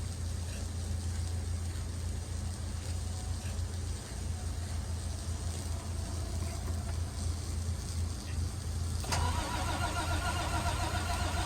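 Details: International WorkStar work truck: steady low starter churn with pulsing compression beats about three or four per second, never catching; crank no-start.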